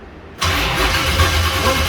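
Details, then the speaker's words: Deathtrap truck after rewiring: engine fires briefly with loud churning and a gritty drag, shut off abruptly because a bowed flex plate keeps the bolted-in starter engaged and dragging. "the reason why we had to shut it off so abruptly is because if that is bowed with a starter bolted in there that still has engagement on that starter so it was dragging as you could hear"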